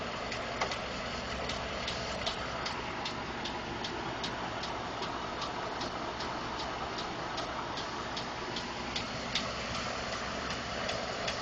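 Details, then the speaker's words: 2012 Ford F150 5.0 petrol V8, already run a while, idling with a light, quick ticking of unclear source; owner told possibly normal injector, fuel pump or engine tolerance noise. "Gonna start the truck. It's been running a little while. Gonna hear the ticking"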